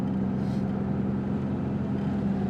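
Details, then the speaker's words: 1991 Chevy Lumina Euro 3.1 V6 on a test drive: steady, even engine drone with no stumbling, runs fine with some power; owner suspects a bad transmission mount and a worn rear right shock. "Drives okay, drives straight. definitely feels like it's got a little bit of power at least."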